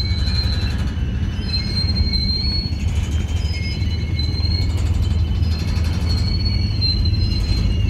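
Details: Union Pacific 6644 freight train leaving Mesa Yard: slow cars rumbling past with drawn-out high squeals coming and going; squeaking and clanging made it stop, cause not stated, later fixed.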